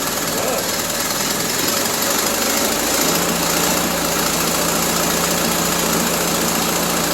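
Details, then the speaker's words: 1974 Triumph Spitfire with a rebuilt Zenith Stromberg CD150, just after the swapped plug leads were corrected to 1-3-4-2: runs with a loud, uneven, pulsing idle that won't settle; the carburettor needs tweaking and the timing needs setting. "Well, she runs. yeah, we still need to do some tweaking on this carburetor because she doesn't want to hold a idle."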